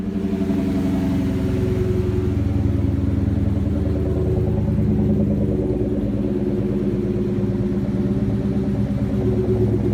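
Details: 2004 Ford Mustang Cobra V8 after no-start with clicking at fuse panel, fixed by swapping in a 12.4 V battery: steady, even lumpy idle with smooth throb, no misses or knocks.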